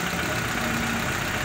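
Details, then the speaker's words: Chevy petrol engine after removing the oil pan and cleaning the oil pump pickup screen, oil warning light went out quickly on start: loud, even idle with a steady hum and no knocks or ticks; sounds healthy. "se apagó luego se escucha bien en el motor está trabajando bien se escucha muy bien amigos"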